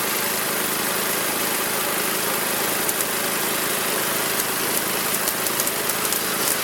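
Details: Magna air compressor with a Briggs & Stratton engine from at least 1983, sat 5 years, first start on the carburetor alone without carb cleaner: small single-cylinder engine runs steady and even, no knocks or misses, reaching 100 psi; normal running.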